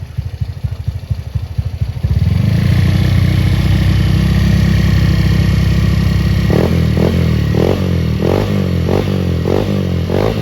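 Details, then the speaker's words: Honda Beat bored up to 120cc, camshaft without ADS, compression 12, original injector, ECU not yet remapped: cranks, catches, idles, then about eight throttle blips rising flat and soft; sounds lacking, judged normal, to be fixed by remapping ECU richer. "Kedengarannya agak kurang. Ya, itu normal dengan injektor standar, ECU belum diprogram ulang. Kita akan memperbaikinya nanti dengan memprogram ulang ECU agar campuran bahan bakarnya lebih kaya."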